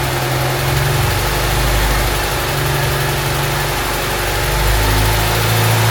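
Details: Honda Civic EG Mugen hatchback four-cylinder idling just after valve seals, timing belt and water pump replaced, timing and distributor set, before coolant top-up and bleeding: smooth, even low idle with steady unhurried pulse, no ticking, knocking or squeal; running cleanly.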